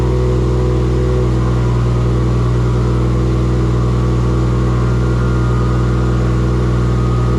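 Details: Engine's first start in a shop build using an LS alternator kit; steady, even engine note with strong low hum, no knocks, misses or rattles. Earlier firing faults (gas pedal, swapped crank sensor signal) fixed; charging voltage too high. Normal running.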